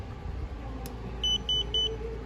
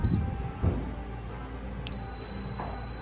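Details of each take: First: Leak block water leak sensor (bio Quantum/bio Renew system) gives three short clear high beeps over a low hum after its alarm is turned off and back on: normal power-on signal, working with no issue. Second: Leak Block water leak sensor, new style, touched on its bottom: thin, steady high-pitched alarm tone, briefly interrupted, over handling thumps; silenced by holding its single button.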